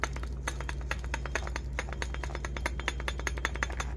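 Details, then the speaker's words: Worn front wheel bearing on a 2005 Jeep Wrangler with front vibration, shaken by hand during replacement; sharp irregular metallic clicks and knocks over a steady low hum from the play in the bearing. "also want to show you how bad this wheel bearing is that I can even shake it and I can hear the mo the movement that's how bad it"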